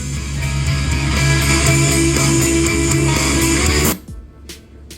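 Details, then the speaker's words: Marshall Emberton Bluetooth speaker, battery nearly full, playing guitar music at maximum volume: sound cuts out abruptly with a faint whoosh, leaving near silence and a few faint clicks; customer reported shorting sound then shutoff at full volume. "เพราะว่าตัวเนี้ยลูกค้าแจ้งมาว่ากลางก็คือถ้าเร่งสุดอ่ะเสียงจะเอ่อจะมีเสียงช็อตแล้วก็ดับไปนะ"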